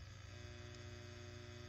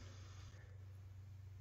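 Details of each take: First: ART Pro Channel II tube preamp with mains raised to about 124 V, faint steady low buzz at mains rate, worsening with higher incoming voltage; quiet at 118 V; fix involves power-supply resistors R245 and R41. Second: ART Pro Channel II tube preamplifier fed at 118 V: only a faint steady low hum under near silence, no buzz; buzz returns around 122.5 V and worsens at 124 V. Normal quiet operation.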